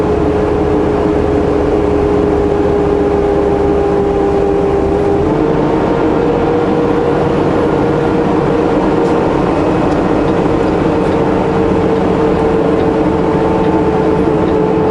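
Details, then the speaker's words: Vehicle at road speed: a steady high-pitched whistle above road and engine drone, heard only above 30 km/h. Driver suspects an air leak, though no air pressure is being lost; source unknown. "nice and quiet other than the high-pitched whistling sound I think I've got an air leak somewhere but only I can only hear it when I'm driving over 30 km/h"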